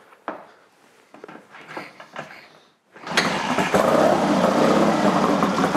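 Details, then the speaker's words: Twin with 12V ignition, already run that morning: fires up and idles with an uneven, lumpy beat, hesitating on throttle blips and unhappy to tick over; carburettors set slightly lean. "it's been run already but it's sounds a bit lumpy there"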